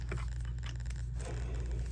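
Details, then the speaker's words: Gas golf cart starter-generator removed and disassembled: rough dry scraping as the bearing is turned by hand, meaning the bearing is worn out and must be replaced. "Can you hear it? Can you hear this? All right, that means the bearing shot."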